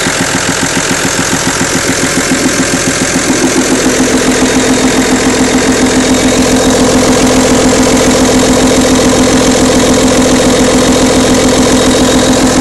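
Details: Audi A6 2.5 TDI diesel at idle: a steady, even tick-rattle at about three and a half per second over the diesel clatter. Valvetrain suspected (camshaft, hydraulic lifters, rocker arms), not confirmed.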